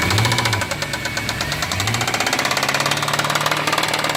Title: C63 Loud Engine rattling noise